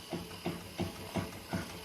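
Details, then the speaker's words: 2003 Honda Accord at about 845,000 miles, wheel off and rocked by hand: dull low clunks about three a second with visible play from worn inner (Moog) and outer (DriveWorks) tie rod ends fitted at 652,000 miles. Loose steering; inner and outer tie rod ends being replaced. "It's got that movement too."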